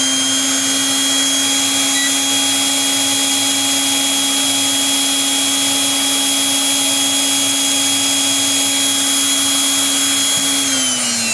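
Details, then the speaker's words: Brushed electric planer motor on a prototype DC-to-AC 60Hz inverter (12V DC to 127V AC target): steady high-pitched whine at very high speed, easing slightly at the end, with no heating noted; runs normally. "e o giro é muito alto e onde está aquecendo aqui né é e não tem aquecimento"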